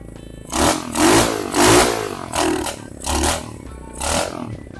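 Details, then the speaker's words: Abandoned roadside mini bike revived with a newly fitted carburetor, small engine now idling: six lazy, burbly throttle blips in five seconds; running a little rich (fat). "This thing runs good. Wow. Running a little fat."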